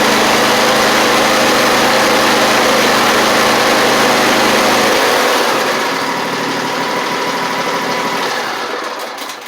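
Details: Lawn mower single-cylinder, not run in a while, started on a 480CCA lithium battery: even steady beat around 200 per minute, then settles quieter; a normal healthy idle after starting.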